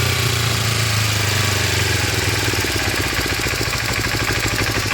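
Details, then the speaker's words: 1986 Kawasaki 250R Ninja/Targa twin, after new parts and carburetors, idles with a quick steady putter, slightly uneven but clean; healthy, needs fine tuning. "All right, Skyler's target started. Sounds pretty good. Going to have to do a little adjustments, I think, just to kind of get it right where we want,"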